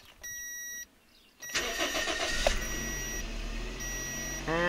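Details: Toyota/Scion (Echo, xA/xB) idle control valve (IAC solenoid) repair for low idle, stalling and code P0511 on first start: chime, brief crank, engine catches and settles into steady even idle without hunting or stalling.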